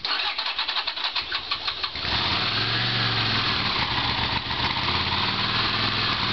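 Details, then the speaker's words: Honda CX500 motorcycle test-starting newly made carburetors with choke applied; two seconds cranking, then catches running uneven and hissy at the intake, too much choke audible: rough cold start from excess choke. "that was the show too much you can hear the voice of this joke in the beginning of the intake of the throttle body you can hear it"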